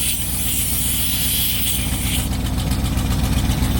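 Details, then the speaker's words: 1965 Dodge D-500 farm truck idling, air-over-hydraulic brake tank purged and refilling toward 100 psi: high, raspy buzz over steady idle rumble; low air pressure warning buzzer, stops when tank is full. "so that buzzing you're hearing is the air over hydraulic brake tank over here which i left open to purge got a closer up"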